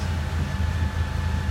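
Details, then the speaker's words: 1997 Oldsmobile Cutlass Supreme SL after replacing parts, trouble codes not yet cleared, new fuel filter pending: low, steady, slightly coarse exhaust rumble with even beats, no missing; engine smooth, normal idle. "yeah the engine sounds very smooth doesn't matter right"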